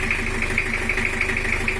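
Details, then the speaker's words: Toyota Kijang LGX 2L diesel blowing white smoke from the oil filler cap and breather. A harsh, uneven idle with a sharp knock about six times a second, sounding like one dead injector nozzle. Cracked piston. "untuk suaranya sendiri itu ada semacam nozzle mati 1 ada debutnya satu"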